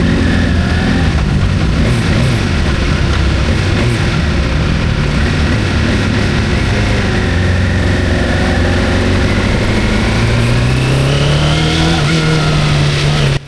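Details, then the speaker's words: Suzuki GSX-R600 SRAD budget track bike at a track day, after stalling and struggling to restart: lumpy, uneven idle running on three cylinders, then revs rise; misfire from a poorly seated spark plug, probably on cylinder three. "And then I don't know if you can hear in the video, but it's running on three cylinders for a second."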